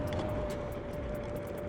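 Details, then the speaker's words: Kaabo Wolf Warrior X electric scooter while riding: a thin steady whistle above the wind rush from air blowing across a tiny drain hole under the handlebar; fix is taping or puttying the hole. "can you hear the whistling you know our wolf King GTR uh does that too and it took me forever to figure out where it's coming from there's a little tiny hole right here underneath this part of the handlebar"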